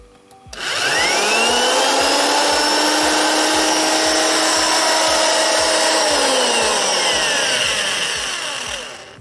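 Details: Corded drill (max 500 W) running unloaded from the 220 V output of a homemade 12 V-fed adjustable 0–220 V inverter; steady high motor whine, spins up evenly and winds down smoothly, no grinding or stutter; runs normally.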